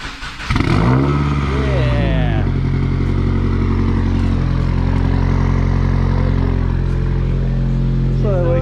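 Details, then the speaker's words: 2019 Subaru WRX first start after walnut-blasting the intake valves for -1.00 DAM, not run for a while: brief crank, catches cleanly and settles into a steady, even idle with no misfire or stumble. "what I like to see. He starts. Gotcha, bitch. Yeah, boy. Let's go, baby."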